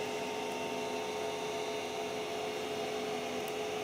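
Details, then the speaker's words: Creality CR-10S 3D printer after fitting steel and rubber vibration dampers to the NEMA 17 stepper motors: only a faint, steady soft hum as the axes move, with no stepper growl or whine, remarkably quiet. "so quiet this is unbelievable this really is unbelievable so this little thing this is the best upgrade you can do for your printer"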